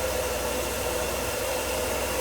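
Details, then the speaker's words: Mercedes W124 M103 engine after timing cover oil leak repair, head work and water pump job for random overheating, warming up; quiet even idle under soft fan hiss, no miss or tapping; normal idle. "That sounds pretty quiet. Hopefully I did a good job."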